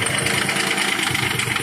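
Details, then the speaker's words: Nissan Maxima J30 VG30E V6 at unstable idle, after switching from 5W30 synthetic to 5W40 and adding an oil additive: light fast ticking knock over the engine note with slight stumble; owner suspects lifters, rocker arm or clogged oil passages, unconfirmed. "Но что-то пошло не так. Несколько проблем сразу. И стук двигателя появился."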